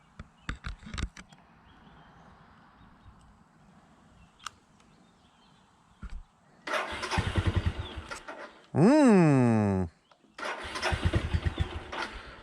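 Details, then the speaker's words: 2002 Suzuki GZ250 single after sitting 15+ years, fuel added, on choke: after 30–60 seconds of hesitant cranking it fires and runs briefly, rough and uneven, stumbling between attempts; starts and runs on choke. "There we go. Got a little choke on her. She's not bad. I will take that."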